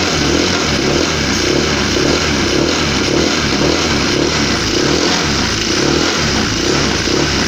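Loud scooter engine with a coarse, rhythmic snoring rasp pulsing a few times a second; rough running, cause not yet found.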